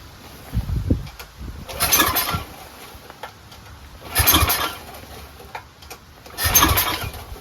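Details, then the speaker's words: Powerback 5000 W generator with a Tecumseh engine, before repair. It won't pull-start on gas alone and fires after ether. It catches in short bursts and dies, running at about 3/4 choke but stalling fully open; suspected dirty carburetor or old gas. "Uh, it was running on almost 3/4 full run, but then when you put it all to 100% full run, meaning the choke flap is completely open, all air going in start to stall."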